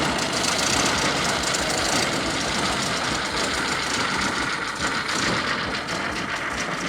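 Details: 1928 Ford Model A pickup, 40 hp four-cylinder, barn find's first run: keeps running on its own with busy, slightly uneven clatter at steady speed; engine back to life.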